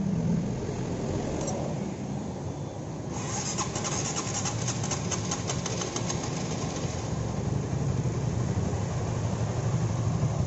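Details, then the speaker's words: Honda CB150R engine idling smoothly after repair of rough, noisy top-end ticking (kletek-kletek), with cam timing marks aligned before refitting cover; the earlier ticking is now gone and the valvetrain sounds healthy. "suaranya sekarang ngebacot suara yang letek letek tadi langsung ilang ya"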